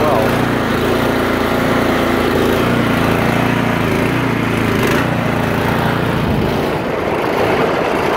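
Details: 2017 Troy-Bilt Storm 2410 two-stage snowblower, started with throttle, choke, a few primes and key: settles into a steady, even drone with a clean low hum and no misfires. Running smoothly and healthy.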